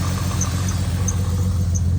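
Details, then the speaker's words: Neglected $500 skid car that had run without oil, driven home the night before, has a rough lumpy idle with skipped pulses; bad misfire at idle, kept short because it will likely overheat. "I did drive it home last night or you can see the Mist fire there that's very bad not going to let it run too long though because um it most likely will overheat"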